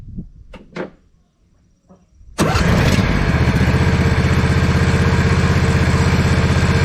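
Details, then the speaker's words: 2007 John Deere Z425 zero-turn with new replacement Briggs & Stratton engine, muffler now refitted, engine hot: catches and settles to a smooth, even idle with no misses or rattles; healthy. "beautiful wouldn't you say yes it's hot too beautiful and hot"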